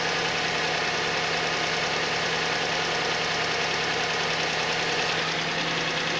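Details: Suzuki Vitara at cold idle: sharp, somewhat uneven knock about a hundred a minute under the steady engine hum; cause unclear.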